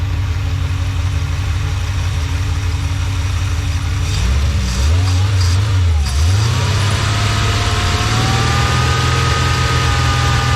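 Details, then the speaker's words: V8 idling with steady even rumble, then blipped and held at fast idle, after repair; previously misfired at idle with exhaust popping, a slight pop still heard, possibly from earlier misfires. "But, uh, yeah, this thing sounds amazing already."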